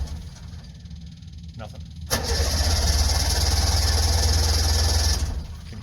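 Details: Two-stroke Subaru 360 van, not run for a while, battery freshly charged, choke pulled, half tank of gas: about three seconds of steady starter churning at roughly four beats a second with no catch. Cranks but won't fire.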